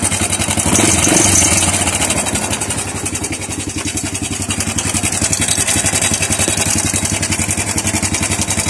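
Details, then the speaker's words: Honda Wave 100 with noise from the cylinder head, heard at idle before timing chain replacement: fast, even metallic clatter, about four ticks a second; worn timing chain and roller guides. "kapag yung motor ay na-experience ng ganyang ingay Alam niyo na kung ano ang salarin walang iba kundi timing Chin at ang kanyang mga roller guide"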